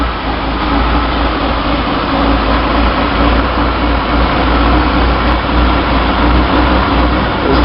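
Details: 1966 Chevy Sportvan, stock 230 inline-six with HEI and a new Weber 32/36 two-barrel carb on the stock manifold, in neutral, camera at the carb, just started: fast, even high idle that never settles; intake vacuum leak.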